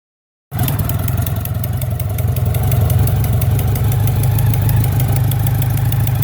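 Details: BMW K100RT steady four-cylinder idle with a faint fast ticking riding over it; owner suspects an exhaust leak puffing at a header joint, not confirmed.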